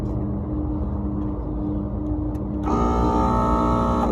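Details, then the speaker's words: Carrier HVAC three-phase compressor: steady electrical hum turns into a loud, harsh rasping grind as it runs backwards from reversed phasing; fix is swapping any two power legs (red and black). "that is phased backwards so the solution is to switch any two legs of power"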